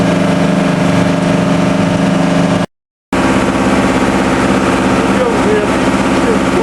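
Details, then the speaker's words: TDME 490 58 hp marine diesel with 3:1 hydraulic gearbox, newly fitted to a motor boat in place of a 4Ch 8.5/11, not yet run in, on sea trials: 2000 rpm, speed 11, cutting waves. Smooth, even drone over hull noise with no knocks or misses. Normal running under way. "Вот так мы режем волну на 2000. Такой у нас элеватор."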